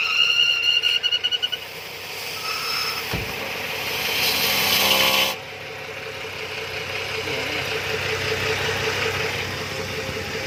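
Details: BMW E71 with N55 petrol engine running with a hissy, high-pitched whistle that swells into a rushing hiss, then drops away; unidentified abnormal engine noise.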